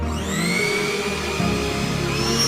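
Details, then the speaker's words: Mixer grinder after replacing the worn top-cup motor bush that let the armature wobble and roar: motor spins up smoothly, whirring pitch climbing evenly with no knocking or rattle; running quiet and healthy. "Noise இல்லாம சூப்பரா run ஆகுதுல."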